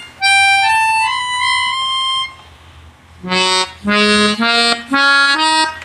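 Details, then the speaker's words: Melodica after repair, where a loose membrane/valve over a key was pressed back closed: clean single reedy notes in short phrases with no doubled or buzzing second pitch; normal tone. "akhirnya pianikanya sudah jadi ya dan suaranya normal tanpa ada suara dobel"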